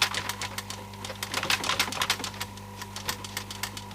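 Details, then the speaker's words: Akai CS-M02 cassette deck playing a tape: steady low hum with irregular light clicks and rattles, like a coin or small screw loose under the mechanism; suspected, not yet found. "that be sounds like it's got a coin or something listen there something's got to be loose in there a little bit of screw in that case somewhere"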